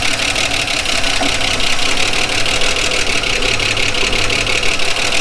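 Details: 1979 Holden HZ one-tonner ute, parked outside for years, first start with good oil pressure: rapid, even light ticking over a steady low idle, valve train tapping; owner thinks the rockers may need adjusting.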